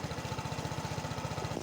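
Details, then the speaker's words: Vespa Matic iGet S125 CVT after replacing worn bearing (previously sounded very rough): steady, even engine beat with no grinding or rumble; transmission runs smooth again, normal CVT running. "PR pertama udah kelar jadi ini udah halus lagi karena masalahnya ternyata di bearingnya"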